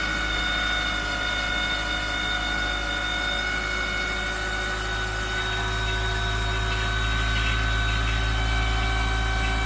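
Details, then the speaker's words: 1997 Mitsubishi Eclipse Spyder 2.4 SOHC after timing belt replacement, accessory belts off; steady even engine note at constant pitch, no tapping, slapping or squeal; owner says smoother and more responsive; normal running. "I got already tired the throttle and the engine sounded way more responsive it was smoother everything about it it just sounded great"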